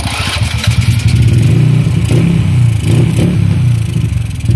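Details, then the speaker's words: Honda Wave 100 motorcycle just after top overhaul with new piston and rings (knock gone): low lumpy idle stumbling unevenly, misfiring; carburetor air jet clogged so air can't flow freely, timing not yet set. "wala pa lang sa timing kasi yung carburetor niya, yung pinaka-ere niya, nabarahan. So hindi ko mapa-free flow yung ere. Sinalpa ko na lang muna para mapandar natin. Pero palyado pa siya."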